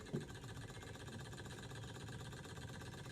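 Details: Small Stirling engine restored with a spare glass cylinder after not running for about a year, now running; light quick even mechanical patter with no knocks; runs smoothly.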